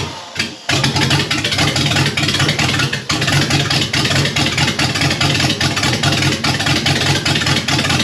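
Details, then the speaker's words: $500 big block Chevy V8 with HEI, fired with gas dumped in, old parts still fitted, destined for a jet boat: fires and keeps running with choppy, uneven beat and ragged exhaust; runs, but rough. "I know this thing is full of oil, but we'll get her a little bit better situated, but you guys can hear that this thing runs. Obviously it's not the greatest because, this is just all some old stuff that was on the motor."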